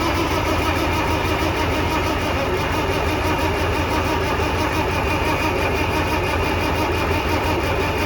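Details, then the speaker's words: Farmall Cub 140 four-cylinder tractor sitting five years, gas leaking, engine hot: starter spins it over fast with steady rhythmic cranking that never catches; cranks but won't start, spark not yet checked. "put the hot to the starter and when I ground it out it spins it over really fast"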